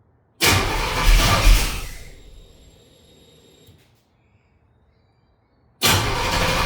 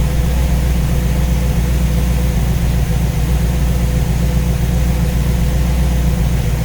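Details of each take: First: Engine with new Ace's Killshot EFI throttle body and Blackjack distributor, timing set at 15°: starter churns briskly over a second then winds down without firing; crank no-start because fuel return line was run to wrong side of regulator, building pressure. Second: V8 with newly installed Ace's Killshot EFI and Blackjack distributor, timing set at 15°, idling while radiator is topped up with water; deep, steady, unbroken low rumble with no knocks or misses; judged to sound pretty good.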